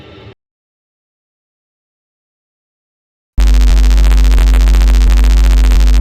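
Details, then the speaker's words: Rode XCM50 USB microphone plugged into a computer USB port gives a loud, steady low buzz and hum with faint regular clicks. Wiggling the USB-C port makes the front light flash, showing a loose connection. The fault was a damaged USB-C socket, with a possible short on the mic connector audio wire. "So, it's definitely not happy. Don't know if it's a switch mode power supply or something feeding back"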